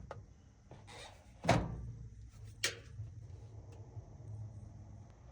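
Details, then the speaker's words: Whirlpool Duet/Maytag front-load washer (not washing, spinning or draining, clicking, F06/E01), unit plugged in with MCU exposed and loose: isolated clicks and a dull thunk as it tries to start, senses and locks door, then faint hum, no drum motion; failed start blamed on bad control board (MCU). "It's trying to start. Sensing. Door locks."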